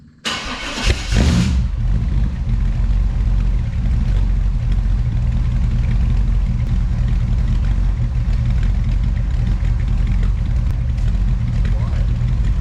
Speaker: kind of surprised at how quiet this thing is. I was expecting this thing to scream.